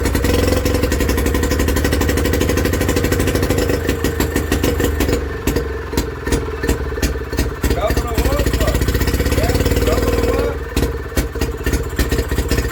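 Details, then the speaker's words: Villiers WX11 single-cylinder engine, first start after carb work, never previously run by owner, crankcase flooded with raw fuel burning off rich: thump speeding up and sagging every few seconds; hunting at idle, top carb adjustment planned. "and that hunting don't like it. So I think we've got to adjust that on the top until that runs like this with that straight up."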